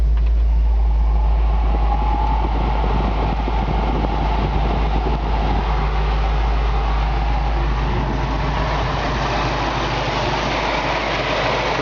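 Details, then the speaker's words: 1965 Ford Mustang convertible, restored original Ford air-conditioning compressor running at idle: steady, even hum with none of the click or knock typical of old unrestored compressors; normal. "running now like I said it was restored you can hear a lot of times these old compressors when they're old and unrestored you know they got a click or a knock to them"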